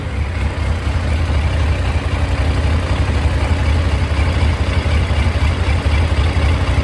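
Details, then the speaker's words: 2001 Yamaha FZ1 four-cylinder, warm idle after carburetor rebuild and synchronization of both banks: deep even idle about four beats a second with no stumbles, smooth and balanced. "yeah i think that's pretty good i think we'll take that"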